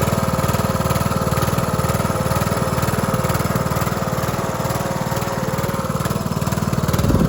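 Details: Cub Cadet LT1045 (276 hours) repowered after a cracked, locked-up engine; new engine started on choke with a jump pack: steady V-twin thump at low, even idle with a faint mid hum, no knocks or misses. Running smooth and healthy.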